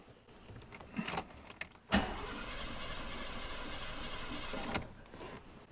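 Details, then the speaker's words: Mercedes 300 4.5 V8, ran okay days earlier: steady starter cranking for about three seconds with not even a pop, crank no-start; fuel pump suspected, troubleshooting fuel, spark and compression. "when you hear that not even a pop you know don't kid yourself [Laughter] it's it's not going to start"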